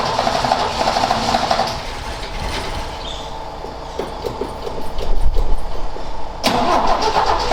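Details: Ford XA Falcon, parked outside for years and not run, attempted restart with a hot coil and a poor distributor cap; engine catches briefly, goes ragged and chops out before recranking; float bowl was found empty, cause suspected, not confirmed: stumbling and dying.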